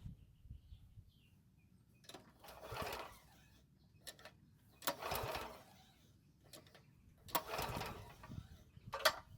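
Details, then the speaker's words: Toro walk-behind mower that stopped and won't restart, months-old fuel in tank: three short pull-cord whirrs a couple of seconds apart, each dying without a single firing; turns over but no start. "So unfortunately, it didn't even try and start, so it's doing exactly what my coworker said it was doing, pretty much nothing."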